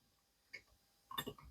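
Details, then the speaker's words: Old Vespa 50cc (Piaggio) two-stroke crankshaft removed during engine rebuild, turned by hand; loose metallic clicks and rattles from play in worn-out bearings, unlike the new original crankshaft; worn crankshaft bearing play. "how it rattles. Yes, it's completely worn out. You can feel it just by looking at it, and you can hear it too. You can also clearly hear the play and the rattling; we don't have that with the new one."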